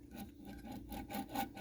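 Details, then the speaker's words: 1984 Honda ATC250R air-cooled two-stroke engine, bottom end torn down with debris inside: crank spun by hand gives a dry, gritty rasp pulsing each turn; crank bearings worn, crankshaft sealing surfaces need cleanup. "the bearings sound pretty garbagey um we'll need to clean up the ceiling surfaces on the crankshaft"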